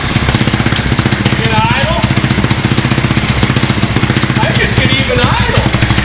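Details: Riding lawn mower fitted with a 450 dirt bike carburetor and a high-flow header exhaust, first start: loud, sharp, even exhaust pops at about three per second with a steady rough lope; idles fine, just very loud.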